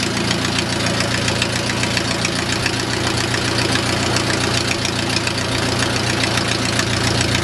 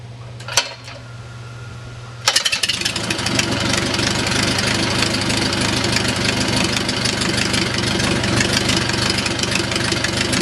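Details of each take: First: O-84 (4A084) with homemade fuel injection, ECU-controlled mixture: rubber plug removed from intake manifold port admits unmetered air, raising idle to an uncontrollable steady 1850 rpm; high idle from intake vacuum leak. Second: O-84 (4A084) converted to fuel injection, restarted warm after high-power run: short crank, then a steady even 600–650 rpm idle with crisp exhaust pulses; normal idle.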